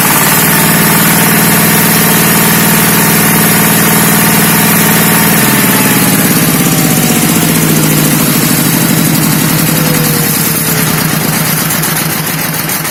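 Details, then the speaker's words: ZS(SH)1100 15 hp single-cylinder diesel walk-behind tractor engine after replacing balancer shaft bearings (broken cage caused whining): loud even beat stepping down in speed midway, smooth with no rattle or clatter; quiet and soft as when first brought in. "Как видите, звучание вернулось на круги своя. Все работает тихо и мягко, как работало, как только его привезли."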